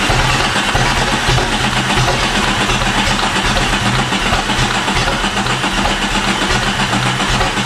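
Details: Jeep with a freshly swapped replacement engine that won't run. Uneven cranking churn at about two to three beats a second with no catch or pickup; the engine turns over but never fires.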